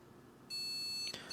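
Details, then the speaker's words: Gigabyte RTX 4080 graphics card after a failed repair attempt: with all voltages good, the motherboard gives sharp, high electronic beeps that drop out and repeat, complaining the card isn't detected and won't post; suspected BIOS issue. "you will hear that my motherboard is going to start complaining about the graphics card in just a second."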